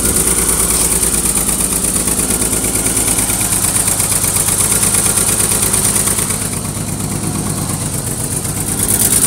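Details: BMW E23 733i/735i six-cylinder idling with a regular stumble of about three uneven beats a second, a misfire; the fuel pump and fuel filter were ruled out as the cause.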